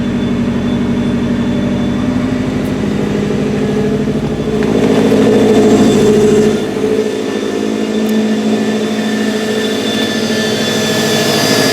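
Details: 2014 Subaru WRX Premium flat-four petrol engine idling with an uneven, lumpy pulse instead of a smooth steady hum; rough idle being diagnosed.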